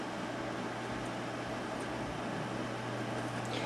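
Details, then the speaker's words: Trash-picked desktop tower during hard drive testing: steady whirring hum with a low drone underneath, no knocks or scrapes; the CD/DVD-ROM drive spinning, optical drive spin noise. "noise you can hear as the cd-rom drive or the DVD ROM Drive"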